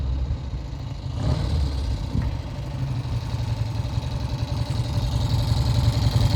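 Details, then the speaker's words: 1971 Triumph T120 650cc twin after pilot jet work and mixture adjustment: steady, even low thump at idle with no knocks or misses; now runs like a top, previously the left cylinder cut in and out. "It's running like a top. And that's the effect of Pilot Jet."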